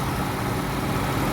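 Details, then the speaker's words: Honda Accord 3.0 after repair of shaking and engine light (cylinders 1 and 5) with replaced coolant pipes: smooth, even idle with a steady low hum and no misfire; engine runs normally, no engine light. "อ่าเครื่องก็นิ่งไฟลูปเครื่องยนต์ก็ไม่มีโชว์แล้วนะครับผม"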